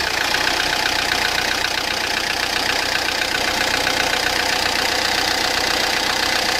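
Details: Peugeot Partner 1.9 diesel with sharp, hard metallic ticking about four per second over a loud clattery idle, like loose valves; the mechanic suspects wrong timing (mise au point, chain/belt timing), possibly piston touching valves; valve knock from incorrect timing.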